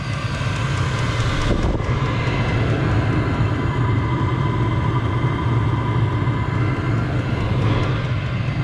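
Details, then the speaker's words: HCalory diesel heater, new, no muffler fitted: deep steady jet-like roar, even with no popping or surging; normal full-output burning, loud because unmuffled. "like a jet, which is normal. I don't have a muffler or anything on it, so it'll be a little loud."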